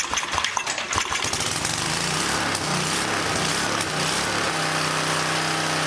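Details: Old small single-cylinder engine running on a roughly 100-year-old Model T priming spark plug, fed from a jar used as the gas tank: a few sputters on starting, then a steady, even run with no misses. The old plug still works.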